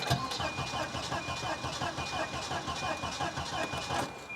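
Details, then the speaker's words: Volvo 240DL cranks with a steady even rhythm, about three beats a second, but never fires despite having gas; it was just on the road, and the owner suspects no fuel is reaching the engine. "sounds like it's got it sounds like it's got no fuel"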